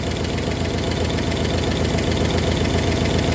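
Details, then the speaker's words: 1964 Oldsmobile 394 V8 idling a few minutes after start: sharp regular tick about 150 a minute from low in the engine; oil level checked, cause not pinned down. "hear that tick tick tick tick tick tick from down below previously it got worse"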